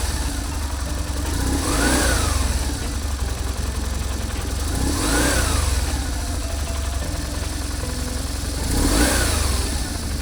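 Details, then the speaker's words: BMW R1150GSA after swapping the original left-hand cam chain tensioner for the updated version: low even idle with three clean throttle blips, no cam chain rattle; throttle body butterflies still rattle; repair successful. "Fortunately, the noise just went away, so the repair was successful."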